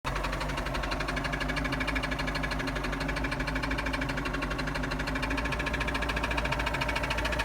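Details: Engine with drive removed, knocking starts after running 2-3 minutes, none before: fast, even knock clatters over steady engine hum with no load changes, cause unknown.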